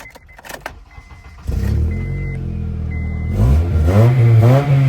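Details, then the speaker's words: Older Honda Accord at auction, no check engine light: it catches after a couple of seconds and revs with a loud, raw, deep exhaust roar; the catalytic converter is present, and a cut or missing muffler is suspected. "Sounds like someone cut the muffler or something."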